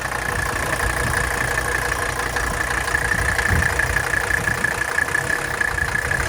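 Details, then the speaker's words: 1984 Mercedes 300D diesel idling just after a cold start, with replaced glow plugs; the owner notes practically no blow-by and no major leaks; an even diesel clatter at a steady idle with a faint high whine in the background; normal healthy idle. "The engine is cold. I'm going to start it up right now. This car has pretty much no blow-by."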